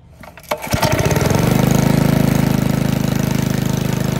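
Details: 1951 Briggs & Stratton 6B-SF single-cylinder four-stroke gasoline engine, 1.75 HP, 3600 rpm rated, barn fresh, governor spring readjusted: after a pull start, a steady, quick, even putter at constant speed with no misses or surging; healthy running.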